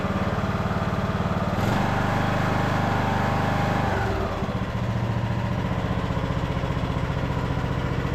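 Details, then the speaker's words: Craftsman LT2000 riding mower with Nikki carburetor, after draining and refilling with fresh fuel: steady even putter easing down smoothly midway and holding; engine runs clean and healthy. "and yeah, so far sounds good. Engine sounds good."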